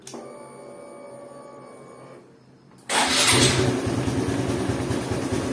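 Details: Honda Supra X 125 FI motorcycle after a broken ignition key switch was replaced with a 10k ON/OFF toggle switch: quiet, then the engine catches at once and settles into a quick, even putter; it starts and runs normally.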